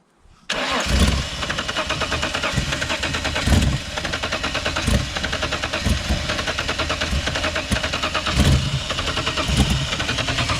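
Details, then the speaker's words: Holden VL Commodore cranks steadily for about ten seconds with starting spray in the intake and throttle applied but never fires; owner suspects a fuel problem and thinks injector cleaner may have helped. "okay so it's sort of fuel problem a fuel problem maybe the injector cleaner helped"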